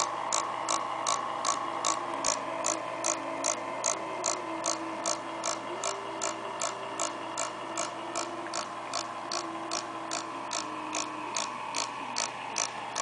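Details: Acer laptop fan: steady whir with a sharp, even tick about 2.5 times a second; the fan looks and turns fine when removed, but the noise returns after reassembly; cause not found.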